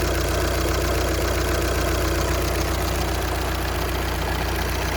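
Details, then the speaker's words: 2014 VW Passat TDI diesel idling after thermostat and heater core replacement: loud busy rattle with fast regular clatter, dual-mass flywheel noise. "Hear that flywheel making some noise?"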